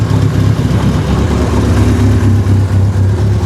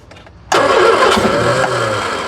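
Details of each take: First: 1976 Triumph Spitfire 1500, dormant for years, first running with never-adjusted carburetor: steady low rumble, even pace, no knocks or misses, though it doesn't quite want to idle; sounds healthy. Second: 1976 Triumph Spitfire 1500, sitting for years: engine catches at once on gasoline/transmission-fluid mix poured into the carburetor bowl, roars briefly, then fades as that fuel runs out; fuel pump not yet connected.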